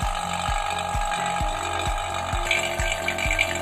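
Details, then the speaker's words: Vacuum pump evacuating a refrigerator cooling system through the manifold low-pressure side after dryer replacement: steady drone with a regular low thump about every half second; normal running. "Untuk pemvakumannya ini kita tunggu sekitar 10-15 menit ya, sampai udara yang ada di sistem terbuang habis, dan juga suara dari ininya vakumnya itu stabil. Kalau suaranya sudah stabil, berarti udara yang ada pada sistem pendingin sudah terkuras habis."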